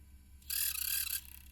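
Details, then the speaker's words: Sony PSP 3000 UMD disc drive gives a thin, high-pitched squeak lasting under a second. Owner says it is not the disc, since a different game does the same, and is trying high-temperature grease. Cause is still unknown. "And it still makes that horrendous noise. How much more of that noise is it going to make?"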